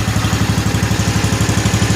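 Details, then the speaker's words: 1955 Cushman Truckster with a new exhaust, on a cold start after a couple of years without running. Quick, even exhaust pulses at about nine a second with a steady low beat and no misses: smooth, healthy idle. "Sounds as good on camera as it does in real life, but what a smooth running, quiet little engine this thing really is."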